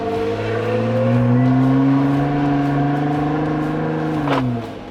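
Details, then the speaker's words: Jeep driven after fitting 4.11 gears in place of 5.38s, transfer case oil new; smooth engine note rising and settling through the gears, no whine, clunk or grinding from the rear axle, no dash lights; normal driving. "drives nice it's doing everything it seems to meant to be doing we've got no lights coming on on the dash"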